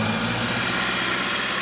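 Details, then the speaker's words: Subaru with a replacement low-mileage engine, first start after priming oil filter and fuel: steady, even idle hum with no knocking or ticking; normal idle. "so it should fire right up no knocking sounds a lot better"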